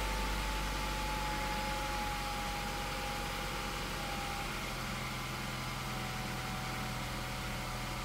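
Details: 2000 Honda Accord after a nickel repair of a bad clutch safety switch that caused no-crank: steady, even idle hum with a smooth low drone and no knocks or misses. Normal idle.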